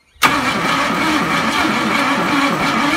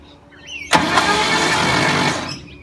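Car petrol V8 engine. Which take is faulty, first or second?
second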